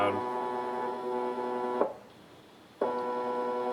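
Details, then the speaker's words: AR3 robot arm kit stepper motor with a 14:1 gearbox, energized on its driver: a loud, steady buzzing hum at constant pitch that briefly drops out while the motor holds still. It is very loud, especially when not moving. "Motor's on. Motor's making noise. Oh yeah, that's loud."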